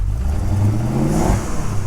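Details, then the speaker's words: Ford XF Falcon ute 351C V8, donor car being revived after fuel system work, started a bit cold: revs climb, then sag and falter under full throttle before picking up a little; bog, suspected fuel mixture or possibly a faulty coil. "sounds good but doesn't it it's not getting RPM it could be a faulty coil but it's weird that I hold it flat it dies completely and then it picks up a little bit"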